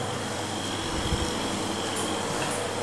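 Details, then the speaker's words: Homemade refrigerant recovery unit recovering R410 from an air conditioner: steady compressor drone, faint high whine and airy hiss, no knocks. Pressure rising, suction dropping; the inlet filter frosts from abrupt refrigerant inflow, not a clog. Running normally. "para que vea si se escucha el ruido. El compresor. La presión está subiendo."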